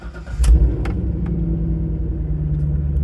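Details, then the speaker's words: V8 with MSD/Holley power harness, cold; battery 12.1 V before start rising to 13.8–13.9 V; short crank, catches at once, settles to steady even low rumble, no misses. Normal cold start. "Right up to 13.8, 13.9. No issues whatsoever. We'll let it idle for a second till it gets warm, and we'll blip on the throttle."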